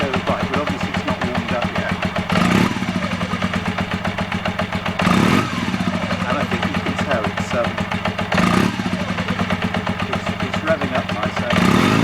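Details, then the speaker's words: Honda CB250N Superdream, cold twin, choke off: four blips, revs climb cleanly and drop quickly back to even tickover with no hesitation; normal rev response. "it's dropping down relatively quickly. This is actually, that's about right."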